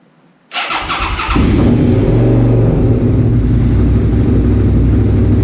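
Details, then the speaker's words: Suzuki SV650S V-twin started cold with three intake ports blocked off, being warmed up for carburetor synchronization. Quick crank, catches at once, then a firm, even idle with no misses or lumps: normal cold idle. "oh it sounds so good"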